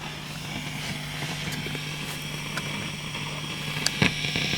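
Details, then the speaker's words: Marshall JTM45 MkII Model 2245 valve guitar amp, fault appears after warming a few minutes; low steady hum with random sharp crackles, pops and grumbling, traced to a cracked solder joint on the valve base. "okay i can hear that's come up now oh there you go nasty nasty nasty okay oh and it's grumbling away again as well which i like"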